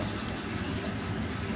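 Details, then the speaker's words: Worcester Greenstar 30Si Compact boiler firing in hot water mode: quiet, irregular bubbling gurgle like a washing machine. Water is backing up in a blocked condensate trap. "it sounds like a washing machine going if you're listening carefully there i'm really in hot water mode at the moment so basically we've got a blockage this normally it's a block condensed trap"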